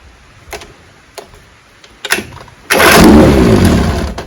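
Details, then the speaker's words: 1968 Evinrude 9.5 HP outboard, needed choke to start, weak water output despite new impeller: weak rope pulls, catches, runs rough under two seconds then dies; owner suspects magneto intermittent spark. "it tries to start and then dies I think if I had to say it's the Magneto that intermittent spark"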